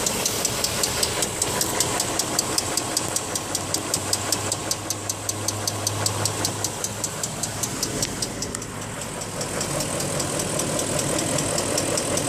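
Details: BMW X5 with a new tensioner: sharp, steady, crisp high-pitched ticking about two to three per second over a quiet idle; source unidentified, cause suspected, not confirmed.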